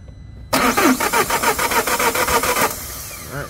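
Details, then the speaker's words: Citroen Dispatch 2.0 AHK with a crank-no-start and fault code P11A2. The starter turns the crankshaft at about three and a half even pulses per second with no firing, and the camshaft doesn't move: broken timing chain. "right that means the crankshaft is turning on the starter motor but it's not turning anything up at the top so unfortunately this is a timing chain failed engine awesome"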